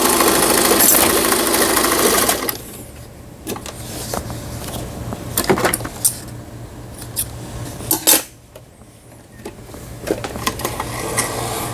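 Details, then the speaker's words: Old Taiwan-made Brother-type home sewing machine, 110 V, repaired after not sewing at all: fast, even whirring with steady needle chatter, then lighter ticking; stitch functions sewing normally. "각종 기능들이 정상적으로 박음질이 되고 있습니다."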